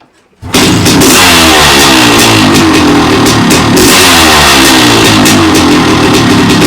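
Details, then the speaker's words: 1998 Honda CR500AF (ex-factory CR250 converted to CR500 two-stroke), five-speed, started off the stand, tried without choke: loud crisp crackle catches right away and revs up and down cleanly with steady firing; healthy. "i'll get it fired up so you can listen to it running and then we'll run it around the garden"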